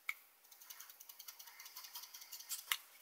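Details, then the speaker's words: Innokin Coolfire 4 vape mod shaken hard: quick light plastic-and-metal clicks about eight a second from loose fire button and top cap; rattle only heard when shaken, not in normal vaping. "the only time you hear it is when you do that when you're using it you don't hear any button rattles unless your normal way that you vape is is like this"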